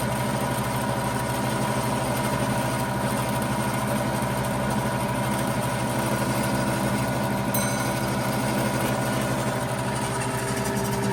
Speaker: Yes, she's running and she's pumping. She's fully operational. Now that's what you call getting pumped up for New Year's. She runs quite smoothly after 90 years.